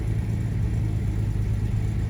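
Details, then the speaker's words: 1975 Jaguar XJ6 coupe (XJC), US California spec, restarted after sitting, with throttle blips: deep, steady rumble with an even beat, now firing cleanly on all six cylinders; oil pressure good, but it is over-choked and reluctant to idle. "There we go, that's on 6 now. That sounds wonderful."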